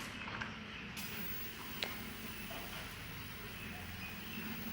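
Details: Old, previously modified Chinese CRT TV showing only a horizontal line: steady airy hiss with faint crackles from high voltage leaking at the anode cap, still present after cleaning dirt off the tube.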